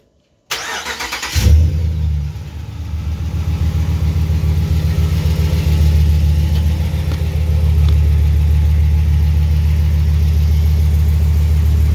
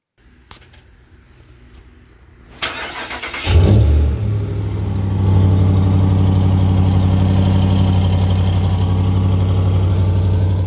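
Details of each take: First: 2019 Ram 1500 Bighorn Hemi V8, 57,000 km, aftermarket exhaust with resonators cut out, after the exhaust manifold leak was repaired under warranty. Catches after a short crank and settles into a smooth, deep idle with no ticking or puffing at the manifold. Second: 2019 Ram 1500 Big Horn Hemi, 57,000 km, aftermarket exhaust, two broken manifold studs: cranks, catches, settles to steady idle with quick regular ticking about four a second; exhaust manifold leak, gasket, right manifold and Y-pipe nut replaced under warranty.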